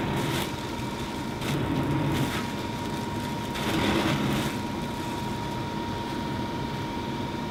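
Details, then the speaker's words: Fantastic Fan roof vent fan on high setting: loud, steady whoosh of air with constant mid-pitched motor hum, even throughout, noisy and annoying at second or third speed; normal running at high speed. "now this being said you know i'm sure there's going to be some people concerned about running this at the second or third option which honestly i guess you could but you you could hear how noisy it is and it's quite annoying"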